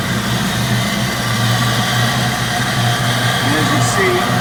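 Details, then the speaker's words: 1992 Mustang GT Foxbody V8 on a jump box, running without the mass air sensor and alternator not hooked up: smooth, steady low idle burble through the exhaust, no knocks or misses. "it's running really good sounds good through the exhaust everything but I'm running it without you know the mass air sensor"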